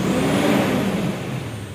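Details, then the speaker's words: Mitsubishi Strada Triton diesel pickup (2012–2015), formerly juddering and smoking white around 2000 rpm, after cleaning EGR and intake: revs up and settles smoothly without misfire; normal rev. "sudah sembuh ya Alhamdulillah sudah sembuh tidak ada masalah lagi di mobil Strada Triton ini"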